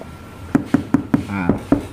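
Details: Mitsubishi Xpander front door after fitting two-layer damping mat inside and outside the panel: seven short, dull knocks about five a second, deadened with no tinny ring afterward, showing the door panel is well damped.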